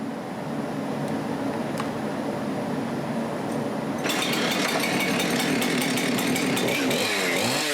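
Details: Husqvarna 372XP X-Torq chainsaw after PTO-side main bearing failure and replacement: crisp, even two-stroke buzz rising cleanly to higher revs and holding steady, no rattle or grinding; saw runs healthy.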